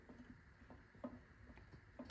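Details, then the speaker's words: Mazdaspeed 2-way limited-slip differential for FC RX7, assembled with backlash set within OEM tolerance, spun by hand before sealing: quiet, even whir with an occasional soft click of gear lash, no grinding; normal. "Just to give you an overview of what that's supposed to sound like as I spin it."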